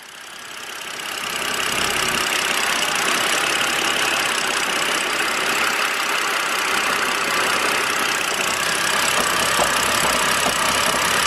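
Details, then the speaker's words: BMW N52 engine idling with mass airflow sensor plugged back in: uneven, lumpy idle with loose pulsing beat under hiss; roughness returns, disappears when unplugged, confirming faulty mass airflow sensor. "rough idle just comes back to leave it unplugged"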